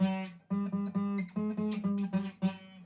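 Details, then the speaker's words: Taylor acoustic guitar restrung years ago with 10-gauge instead of 11-gauge strings: strummed chords carry a thin rattling buzz from the G string at one fret position. Cause unclear; the owner plans to try an 11-gauge G string. "So whenever you make, see how crappy that sounds? That's just not doable."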